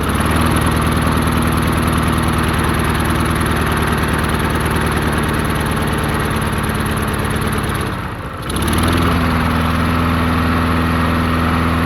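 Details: Murray 22-inch push mower, 5 hp Briggs flathead, unrun 20 years: after drilling out clogged carburetor passages, steady even single-cylinder beat with one brief dip around eight seconds; runs good, slight surge noted.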